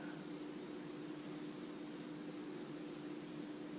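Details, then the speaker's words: Navien NCB-240 combi boiler, flashing service wrench: quiet, even fan hum with no firing while heat is off and nothing calls for water; combustion fan keeps running, also vibrates loudly on heat startup. "we have the heat off right now nobody's calling for water and the fans still running which i find to be very odd"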